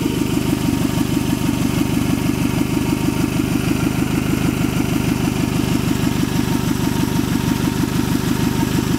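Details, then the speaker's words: 1994 Toyota Camry LE four-cylinder with about 316,600 miles at idle; sharp, rhythmic puffing tick on every exhaust beat from a leaking exhaust flex pipe. "As you can hear, it has a leak from the flex pipe."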